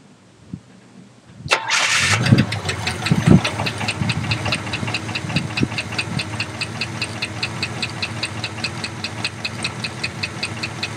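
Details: 1967 Impala with a 327 small-block V8: cranks and catches, then idles with a sharp, steady knocking tapping in time with engine speed; new knock with vibration while driving, then loses compression and dies.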